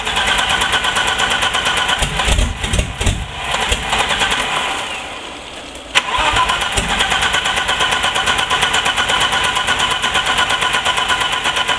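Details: Turbo BMW E30 with new 30lb injectors on WAR chip turbo base tune, running extremely rich, new plugs, constant CEL: fires, hunts and sags nearly to stall, catches, holds raised uneven idle; must be kept about 2000 rpm. Rough idle and stalling.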